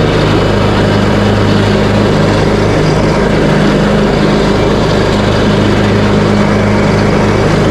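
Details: Craftsman T130 riding mower after fuse and ignition switch panel repairs, mowing end-of-season grass with deck set high: steady single-cylinder drone at constant pitch while cutting, no misses or knocks, healthy under load.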